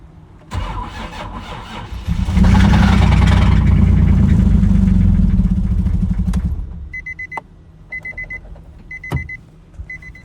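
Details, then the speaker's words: Nissan 350Z that broke down on the road: engine cranks, catches and runs rough with a steady deep knock, then shuts off as a chime sounds; owner suspects rod knock, not yet confirmed. "that's the sound right there that don't sound good she still cranks so that's cool but definitely a lot to figure out unfortunately"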